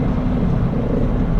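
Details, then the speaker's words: 2015 Mini Cooper at highway speed after a rear wheel bearing replacement: steady low road and wind rush with no hum, growl or whine; the bearings are quiet and only slight wind noise remains. "I wouldn't be going 85 or 90 miles an hour because you don't do that it's not safe and it's illegal so don't ever drive that fast it's quiet as a church mouse"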